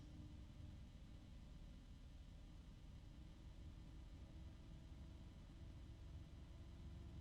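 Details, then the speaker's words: Fan spinning up to high speed: steady airy rush with a faint tone rising with speed, smooth and not too noisy; normal healthy fan. "It's got some good speed there. And it's not too noisy."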